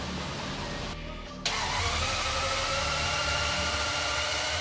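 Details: 1991 BMW E31 850i V12 after reassembly with aftermarket headers, no exhaust fitted: brief crank, then it catches and settles into a loud, raw, even roar from open headers; normal start, runs cleanly.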